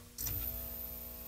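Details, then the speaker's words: 1931 battery charger, about 20 V open circuit, running under load with a bulb in series: a low, rough transformer growl swells as the load connects and holds steady, the bulb brightens, and the ammeter reads just under 2.5 A. "Oh, listen to that. It's growling. You see the bulb get brighter? It's trying."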